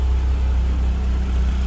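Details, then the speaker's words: 1993 Toyota MR2 SW20 with swapped 2GR-FE V6, first run after install: low uneven stumbling idle, stalls when throttle is applied; owner suspects injectors gummed up from sitting, something fuel related, unconfirmed; rough idle. "I'm wondering if there's an issue with uh injectors just kind of being gummed up from sitting for so long because it's not running really great it's a little stumbly and as soon as I hit the gas it stalls out"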